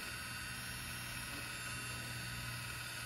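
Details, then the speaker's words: 2015 Lexus NX200T rear electric parking brake actuator, unplugged and fed 12 V directly, ignition off: steady even motor hum retracting the piston, no grinding; normal release until motor stops. "all right so right now the motor is working and releasing the cylinder releasing the the piston"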